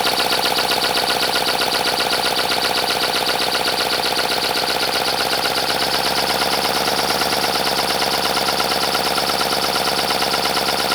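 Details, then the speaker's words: 3D-printed 412cc V8, about 50cc per cylinder, high friction, second run before any oil added: fast dry clatter over steady air hiss; owner suspects it needs lubrication but unsure, then pours 5W-30 into intake manifold. "All right, it definitely sounds like something needs to be lubricated, maybe. I am not sure."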